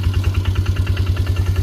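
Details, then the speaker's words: 1999 Polaris ATV bought cheaply, cold start: steady, even single-cylinder putter at about ten beats a second with no misses or knocks; a clean, healthy cold idle, runs amazing. "It's running now. I don't know if you can hear me over it, but it's cold start."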